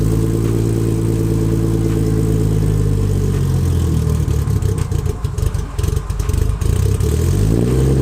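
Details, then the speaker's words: Nissan 240SX with RB25 swap, start-up: low, uneven idle that wanders and sags, needs throttle to stay alive; worse when cold, fine once warm; owner suspects tune or deleted cold start valve/IACV/auxiliary air valve. "All that's deleted off the engine. It's just basics to get it to run. The car will do this when it's colder out."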